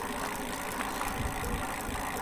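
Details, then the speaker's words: Duotts S26 e-bike rear hub: steady whirring hum with faint rhythmic scraping each turn; the rear bearing sits crooked and the axle seems bent; noise heard between the cassette sprockets and bearing. "Mais moi, c'est entre les pignons de changement, les cassettes de changement de vitesse et le roulement là que vous entendez là."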